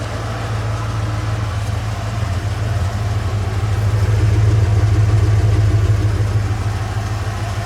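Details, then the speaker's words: Bullnose Ford EFI engine fitted with junkyard 4-hole 460 injectors, too large for this setup; steady low idle with a slight uneven lope and occasional faint stumble, exhaust smells better; rough idle. "The exhaust smells a lot better. It's got a little bit of a gitch, but these injectors were kind of gross smelling when I pulled them out of the 460."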